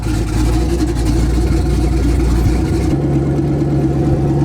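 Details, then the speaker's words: Twin-turbo Malibu, first start after tapping the intake air temp sensor and the head steam port, on a conservative timing map: deep, steady idle that drops and settles into an even hum with no hunting or surging; idling where it should. "It probably runs a lot better if we don't have a vacuum. Idling where it's supposed to idle"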